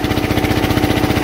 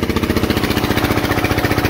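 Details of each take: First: Onan 3.0 DJA diesel generator, rated 3 kW, heater load test at about 3 kW: fast, even thumping, pulling hard but holding speed; struggling, a little smoke, expected at full load. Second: Onan 3.0 DJA diesel generator, rated 3 kW, overloaded to 3400–3500 watts with heaters: heavy, labouring thump about four beats a second; smoke, frequency and voltage dropping, can't exceed 3500 W.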